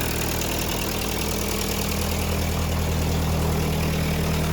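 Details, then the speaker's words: Ford 8N tractor after restoration, exhaust/muffler resealed, running: steady, even low idle with regular beat and no ticks or exhaust puffing; sounds healthy. "She sounds really healthy"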